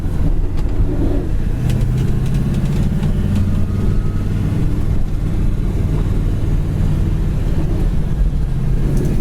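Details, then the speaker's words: 1966 Chevrolet Chevelle while driving: deep, steady engine rumble with dual exhaust and no whine, chirp or grind; clutch feels good and throwout bearing sounds quiet. "Clutch feels great. Throwout bearing sounds good in it. Clutch feels nice."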